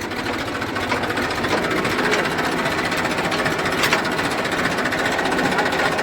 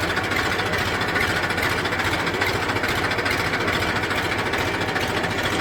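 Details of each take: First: Massey 1035 tractor, single clutch, diesel: harsh, steady gear rattle and grinding when reverse gear is engaged; gearbox problem, worn reverse gears chattering, before the gearbox is opened. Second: Massey 1035 diesel tractor after gearbox repair with reverse and first gears replaced, backing up in reverse: steady diesel chug, no whine, grind or clunk; gearbox quiet and normal.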